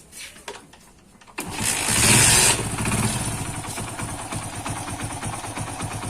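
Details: Hero iSmart 110 after timing chain kit replacement for engine noise: catches quickly, brief rev, then a quick even putter with no rattle; the small single idles cleanly.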